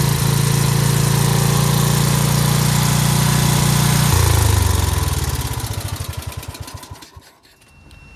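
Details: Dayton 11 hp hauler lawn tractor holds a steady, even low idle for about four seconds, then is switched off and runs down to silence. Normal idle after adjusting the fuel mixture screw at the bottom of the carb bowl, which had caused stalling.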